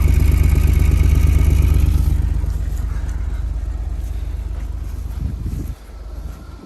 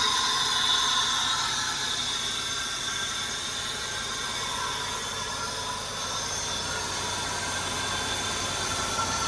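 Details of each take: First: 2004 Buick LeSabre, first start in about 3 years after a fuel pump install, no air filter and air box unhooked so it sucks air: deep, even beat holding steady, sounding a little weird but running without knocks or misses. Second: 2004 Buick LeSabre, first start in about 3 years after a new fuel pump and fresh fuel, with no air filter and the airbox disconnected: loud steady intake rush with an uneven, lumpy running beat from unmetered air.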